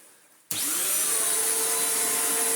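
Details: Electrolux Z1910 self-propelled vacuum, pulled from storage as a broken project, first run after reassembly: motor spins up from silence to a smooth, steady high whir, even tone, no rattle; healthy vacuum motor.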